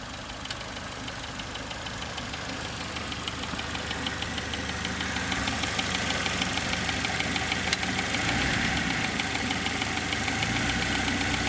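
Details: Saturn SL2 DOHC petrol engine at idle with a sharp, even tick about three times a second riding on top; engine ticking noise, cause undiagnosed.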